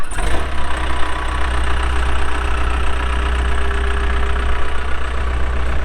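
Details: 2007 Case 580M Series 2 backhoe, pre-emissions diesel, 3,812 hours: quick start, then deep even diesel rumble steady at idle, no knocks or misfires; starts and runs good, hydraulics strong.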